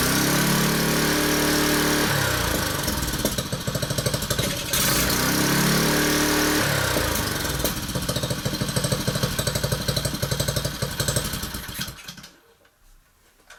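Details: Honda engine on a whacker plate at tickover with the loose centrifugal clutch removed: a steady, even beat with no tinkling or rattle before shutting down, confirming the clutch as the noise source.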